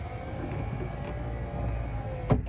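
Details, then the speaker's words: Restored 1990 Chevrolet V1500 Suburban 4x4 power rear tailgate window operated with the key: steady electric motor hum for about two seconds, then a single clunk as the glass stops; window works quickly and normally. "a second here trying to get the key out so power rear window"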